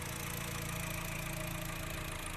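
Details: Honda Fit brought in for engine noise, weakness and misfiring, after repair and before throttle-body adjustment; even idle with a light, regular tick over a steady hum, no stumble or surging; the noise at ignition is gone.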